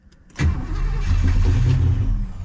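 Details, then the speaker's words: Original 283 small-block V8 in a 1967 Chevelle, first crank in 20 years. Brief crank catches with a low rough rumble, then fades. Stumbles but won't run; owner thinks it needs more fuel and more timing. "okay it stumbled that is good news it just needs more go juice and more timing I think"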